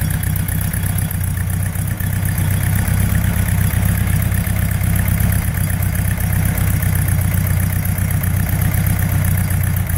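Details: Porsche 912 flat-four after rebuild, sludged crankcase cleaned and cylinder-head exhaust stud holes repaired: deep, even burble holding a steady idle, no knocks or rattles; normal idle.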